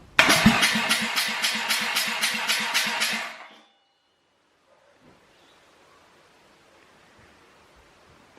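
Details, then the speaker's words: Compression test on a dirty old rotary engine, cold, assembled just for the test: even quick cranking pulses about four a second for three seconds, then silence; compression strong, evenly matched, results really good. "we've just done a compression test as you've seen and it came back really really good"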